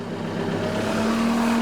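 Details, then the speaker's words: New Case SR240 wheeled skid loader, roughly 8 hours on it, just cold-started in snow-plowing season: steady diesel drone whose tone climbs smoothly as the idle comes up automatically; normal. "can hear the idle comes up there automatically."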